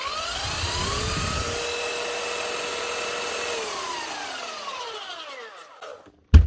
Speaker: that's it one Makita Belt Sander 9911 from the year 2000 fixed up again it's just a new drive belt